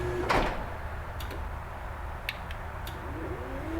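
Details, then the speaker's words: Chamberlain RJ0101 wall-mount garage door opener running while a universal remote is programmed: quiet, even low hum with a few light clicks from the overhead light module; normal, healthy operation. "press the button that we want to program and you'll hear the garage door opener um with the light overhead will click and you can hear the garage door"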